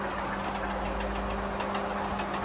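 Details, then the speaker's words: Crown Victoria running with the cooling fan roaring and a faint, quick, even tapping at about five per second over it; engine tapping of unknown source on a newly acquired car. "So right now you may be able to hear the faint tapping of possibly a little man inside the engine called Bolt wanting to get out."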